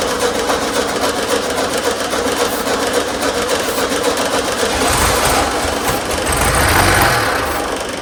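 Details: 1972 VW Super Beetle air-cooled engine during no-start troubleshooting: the starter churns at an even fast beat throughout, but the engine never fires. It cranks without starting; they check carburetor fuel delivery and consider swapping in an old carburetor.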